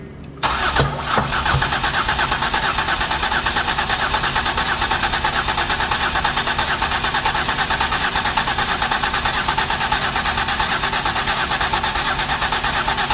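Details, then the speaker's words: 2008 Ford Escape with previous repairs, brake cleaner sprayed into intake: steady starter churning about three turns a second with no catch or firing, suggesting fuel is likely not the issue; crank no start. "okay stop cranking it okay so we just Tred to add in brake parts cleaner and it does not run so it lets me know we most likely don't have a fuel issue"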